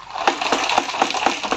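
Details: Maruti Suzuki car AC not cooling despite new filter and clean blower, dashboard removed: sharp, light clinking about four times a second, like loose coins tossed by the fan; foreign objects rattling inside the AC blower housing.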